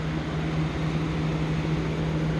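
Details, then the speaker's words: 2004 Mercedes C230 W203 1.8 with the air conditioning on: steady low hum with a soft airy rush as the electric cooling fan spins evenly with no rub or rattle; it came on after a relay was replaced. "it just made the fan come on the cooling fan and that's only when i put on the air condition"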